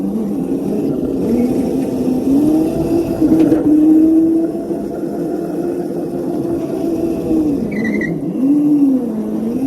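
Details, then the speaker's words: Razor Crazy Cart XL electric motor on two Milwaukee M18 batteries in series (36 V), first test ride: smooth electric whine rising and dipping with speed over tyre scrub, no knocks or grinding; normal running under load. "There we go, baby. As you guys just saw, this thing absolutely rips on 36 volts."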